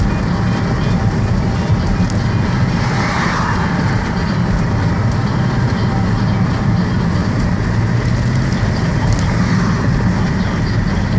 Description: Car does this all the time now. Sometimes I see my head lights flicker when the revs get real low.